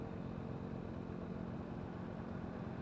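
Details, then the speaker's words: Drift Ghost-S action camera with an external mic plugged in, recording while riding. A thin, steady high-pitched whine holds one pitch above the rumble; an electrical whine in the mic input, cause unknown. The owner hopes a firmware fix solves it. "and you can see there's a there's definitely a high-pitched like a squeal wine Whatever frequency type thing going on"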